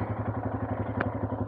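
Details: Royal Enfield Himalayan single after a cold, rainy no-start, bump-started in second gear and run about 20 minutes, now warm with a little choke: steady even thump about eight beats a second, no misses or clatter; healthy idle.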